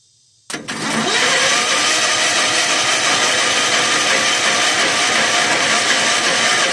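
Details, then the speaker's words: 1981 Allis-Chalmers 912 Hydro tractor, Kohler K301 engine, new generic carburetor, battery apparently dead so 12 volts applied directly to starter from jump box: steady hissy whirr for several seconds, never catches; no fuel in bowl yet; owner unsure if starter solenoid. "No fuel into the bowl yet. Maybe my reel. Maybe my starter really doesn't matter. Start solenoid."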